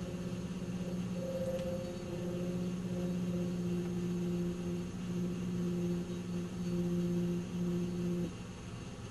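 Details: 1997 Nissan Maxima at idle: low droning resonance hum with a steady tone that goes away with a little gas, then returns at idle; source unknown.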